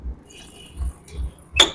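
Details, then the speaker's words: Super Splendor BS6 motorcycle, wheel spun and brake applied: slow dull thumps, then a short, high, piercing squeal as the brake bites; cause not yet found. "देख सकते हैं कितना ज्यादा sound कर रहा है इस प्रॉब्लम से कस्टमर काफी इरिटेटिंग हो गया है"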